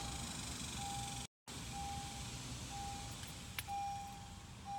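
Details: 2015 Acura TLX, no crank with AC and radio on, so not the battery: soft chime repeating about once a second, possibly from driver door open, no starter engagement; warning chime with no crank, electrical cause unclear.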